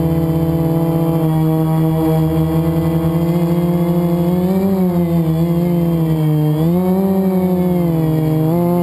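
High buzzing motor whine swoops up and down with throttle and has a rough edge through it; worn motor bearing.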